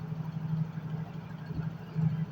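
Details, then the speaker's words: Yamaha Mio GT scooter after the fuel pump pressure was checked at about 20 psi; it now starts. Low, steady, smooth putter with no misses or knocks: normal idle. "Oke, di sini motornya sudah bisa nyala atau bisa hidup ya."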